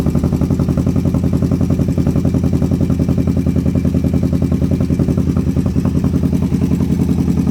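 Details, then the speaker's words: Twin-cylinder engine started after clutch checked and speedo cable cleaned and regreased; uneven, lumpy thudding idle about three to four pulses a second with loose clatter, firing on both cylinders but running rough. "Alright, we are running on both cylinders. Sounds like shit, but the engine runs pretty decent."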